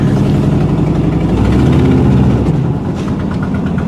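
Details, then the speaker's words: 1981 Recaro Turbo Trans Am pace car that sat almost six years, after a short drive. A deep, steady idle with an even low throb easing slightly toward the end; it now runs better and smoothly. "Looks like it's running better now. Got some air going through it."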